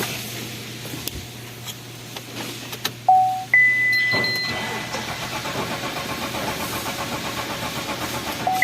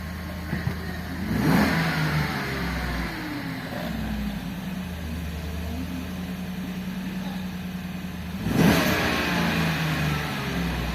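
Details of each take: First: Engine No start but cranking ,,, Second: Engine that had a crank-no-start from a stuck fuel pump motor, now running; steady idle with two clean throttle blips rising and settling smoothly, no stumble or misfire: normal revving.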